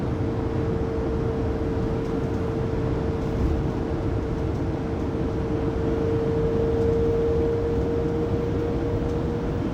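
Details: 2020 Pleasure Way Plateau FL (2019 Sprinter 3500XD), recorded by phone at 80–90 km/h after drive shaft and differential replacement: steady high whine near 450 Hz over road rumble; driveline whine, source still unknown.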